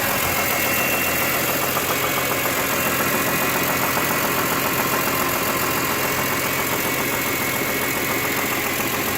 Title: 2004 E46 M3 S54 rod knock